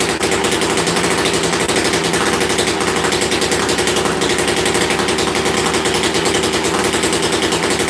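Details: Rarely run chainsaw, started after being flooded and sitting: crisp, even high-revving two-stroke buzz holding steady with no stumbling or sputter; running healthy.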